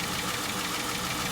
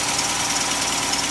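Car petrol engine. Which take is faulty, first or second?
first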